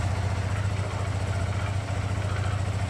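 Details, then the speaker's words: SYM VF3i idle after swapping the standard clutch for an Espada Hyperclutch. The steady, even, quick idle is quieter and softer than the stock clutch. There is no shrill or rough sound, which would indicate a clutch problem. Normal idle. "Okay, kalau tengok pada bahagian kita punya enjin ni memang senyap bunyi dia. Kalau kita clutch yang problem, memang dia akan ada bunyi nyaring sedikit ataupun akan ada bunyi kasar sikit."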